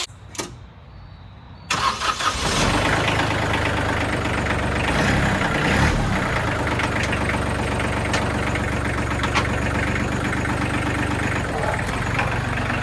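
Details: Kubota L3000DT diesel tractor with a good used replacement engine, serviced: starter cranks briefly, then it catches and settles into a steady, even idle clatter with no knocks or misses; normal idle.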